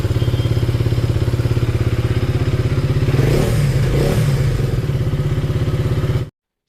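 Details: KTM Duke 250 single-cylinder before engine work: fast, steady ticking over the thump from heavily worn tappet shims and a loose timing chain; bike also smokes; valve, piston and tappet noise suspected.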